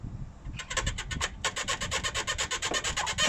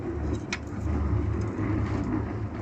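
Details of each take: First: MG ZS (Rover 45) squeaking when braking, pulling away and over bumps: levering the front lower control arm on a ramp gives rapid, high-pitched rubbery squeaks from the worn lower arm bush, not body rubbing on subframe. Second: MG ZS front suspension on a ramp after spraying the suspected squeaking bush (squeaked when braking, pulling away and over bumps): low rumbling thumps with no squeak, fixed for now.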